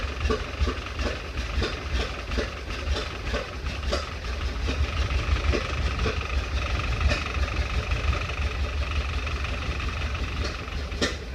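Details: 1931 Ford Model A, stored in a barn 10+ years without running, first restart on 6-volt battery charger, in neutral with timing advanced and throttle up: uneven lumpy idle with sharp pops spitting back through the carburetor; owner suspects a sticking intake valve.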